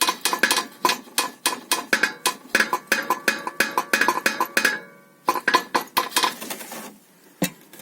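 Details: Toyota Caldina 215 underbody rattle over potholes and bumps, random: sharp metallic clinks in quick uneven bursts like struck tin; suspension was checked fine, cause found to be the fan shroud rattling.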